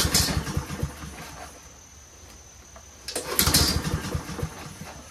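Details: Troy-Bilt 21-inch front self-propelled mower with Honda engine, on choke with fuel flowing: two pull-starts give only a brief rattling crank each and it never catches; the choke flap is held open.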